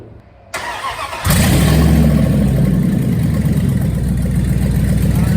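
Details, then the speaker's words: Dodge with a welded-on bell housing, first start with part of the exhaust still off: catches after a short crank and settles into a loud, raw, blatty idle; no knocking heard; exhaust leak from missing exhaust section. "remember part of the exhaust is still off but i want to hear or yeah i want to hear and want to see if there's any more issues before i weld the exhaust back on"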